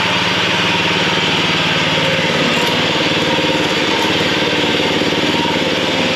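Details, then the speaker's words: John Deere 14SB mower, engine running with the blade disengaged: steady engine note with a harsh, gritty hiss from a failing blade brake clutch bearing (a 6205 bearing), before the bearing was replaced. "Um, but there is an awful sound when the blade isn't turning. So, there's got to be a bearing that's bad."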